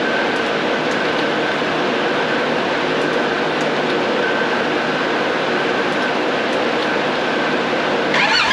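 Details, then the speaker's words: 2019 Polaris XP Turbo, about 5,500 miles, first start after engine rebuild for failed crank bearing; loud, busy, lumpy uneven idle with heavy vibration; rough idle. "But anyway, we cranked the bike up. It seemed to be running all right. It had a little rough idle. It was kind of a lot of vibration going on."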